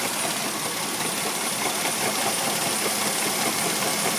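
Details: 1999 Mercedes ML320 engine running with a dry, gritty whirring rush and a faint rough pulse from the water pump, which has a little bit of play in its bearing; pump was later replaced.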